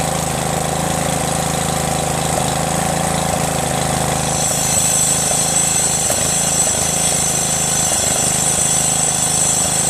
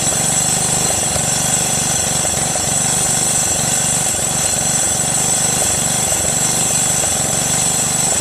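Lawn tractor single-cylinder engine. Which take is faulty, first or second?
second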